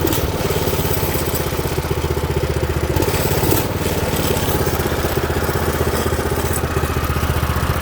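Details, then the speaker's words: New Predator 212 single-cylinder engine on a Baja doodlebug, started on choke: steady single-cylinder putter at an even idle with a slight throttle change, no knocks or misses; runs well. "all right once again turn it on choke to start and so you can see it runs gray"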